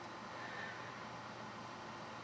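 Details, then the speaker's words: Dell Dimension 4700 power supply fan after repair and reassembly: a soft, steady airy whir with no ticking, rattling or grinding; the fan spins freely and sounds healthy. "that's it all back together all works all done that Fan's running as well everything's good"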